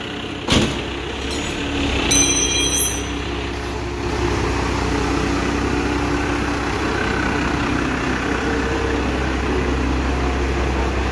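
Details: 12-valve Cummins in a dually pickup after replacing the grenaded fuel pump and swapping in the original overflow valve; a loose fitting was tightened and there are no leaks. A few clanks, then an even diesel idle clatter with no misses; fuel pressure reads only five.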